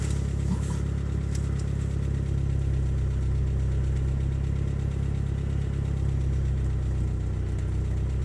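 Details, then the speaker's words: 1989 Geo Tracker cold start: light, quick valve tapping, about three ticks a second, grows prominent as idle drops from about 1000 toward 900 rpm while the engine warms into operating temperature; the cause is suspected, not confirmed. "valve tapping is pretty prominent now it's working its way down 900 rpm"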